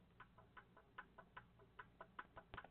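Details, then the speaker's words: Embroidery machine hoop clipped on and rocked by hand front to back: light, sharp ticks about five a second. The hoop arm is loose or not installed and adjusted properly, which gives unclean lettering. "i'm just moving the hoop front towards and backwards just a little bit and it's making a ticking noise that's a problem"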